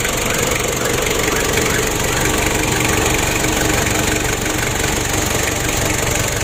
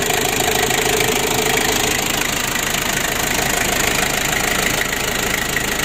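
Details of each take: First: Ford Ranger diesel losing oil and unable to rev high, intake air hose removed: rough idle with hissing puff about three times a second over clatter; compression leak traced to incorrect valve clearance. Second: Ford Ranger diesel that was losing oil and wouldn't rev high, running after a temporary fix (an added 'rotax' to help diesel circulation to the injection; injection not yet repaired). Even, regular clatter with no stumbling or misfire; it runs normally.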